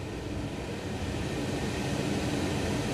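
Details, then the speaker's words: 2002 Chevy Trailblazer EXT LT rear blower running after replacing the rear blower motor AC resistor and reinstalling the 30A rear HVAC fuse; smooth steady airy rush with a low hum that slowly builds; normal blower operation. "blower is on for the first time in a long time. I'm so excited."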